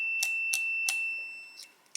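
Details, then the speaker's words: Old truck with Edelbrock carb, new ignition switch tested with a multimeter: steady continuity beep holds with switch clicks around it as the key moves from on to start; the on circuit stays closed in the start position. "so there is uh on and you'll hear it beat so when you go to the start position see it stays it stays on"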